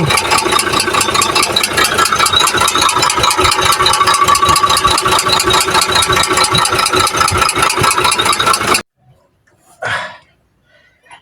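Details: Idling engine with loud steady knock over busy rattly running noise; strong engine knock, cylinder head then removed to find the fault.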